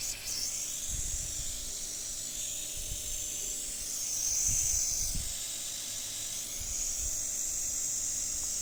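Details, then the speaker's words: Air compressor with a pipe clamped to the discharge line, a bike/cycle inflation valve on the end and wired to relay and OLP: strong steady hiss over faint motor hum, holding even; good pressure, normal running. "দেখুন, আমি কম্প্রেসারটি চালু করে দিয়েছি এবং এখান থেকে হাওয়া নিশ্চয়ই আপনারা আওয়াজটা শুনতে পাচ্ছেন। তো এটার প্রেসার খুব ভালো, আপনারা বাইক বা সাইকেলে অনায়াসে এটা দিয়ে বাতাস দিতে পারেন।"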